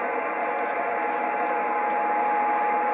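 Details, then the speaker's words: Kenwood TS-950S digital HF ham transceiver, fed a 7.01 MHz signal-generator tone at about 900 mV: faint thin steady tone buried under hiss, no S-meter indication, far weaker than it should be; deaf receiver. "So, it's processing the signal, but uh the receiver is pretty dead here. I should be uh at that amount of level."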